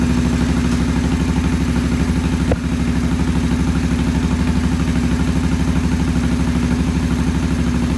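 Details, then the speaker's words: Vintage British motorcycle with twin carburettors, poor idle: twin chugs at a low idle about three pulses a second, slightly uneven and hunting; clogged pilot jets starving the idle circuit. "We cleaned the pilot jets. They're back in, and we're going to do a start. And it wouldn't idle before very well, so we're going to fire it up now and see what it does."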